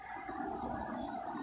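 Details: 2018 Renault Sandero, 27,000 km, with a suspension noise: a removed shock absorber stroked by hand gives a smooth, even hydraulic swish, damping normally.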